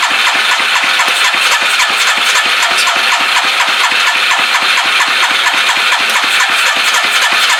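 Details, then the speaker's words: Long-stored crusty Suzuki 230 cranked with choke and a shot of ether after the fuel pump was confirmed working: fast steady cranking with bright hiss and only a faint brief catch, no sustained running; cause of no-start not confirmed. "Might go get a wee bit of start, you bastard. So I got some start, you bastard, which is pretty much a bit of ether,"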